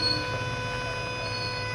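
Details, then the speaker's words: Bluetooth speaker whose sound (amplifier) IC is overheating enough to melt paste on it: once powered on, a steady high "ting" ringing tone over a faint low hum, caused by the faulty sound IC. "Can you hear the sound? It's doing ting. It's because the sound IC is not good."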